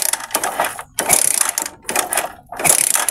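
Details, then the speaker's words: Typhoon 150 motorcycle that suddenly stopped running: three rattling kick-start strokes about a second apart with ratchet clatter and no firing; spark check at plug cap shows weak, short spark, so fuel isn't burning; no start from weak magneto spark. "Ay wala. Ay maliit. Sige. Ah kaya ano shortage kuryente maikli. Pinakamaikli. So ibig sabihin hindi yan nakakasunog ng gasolina."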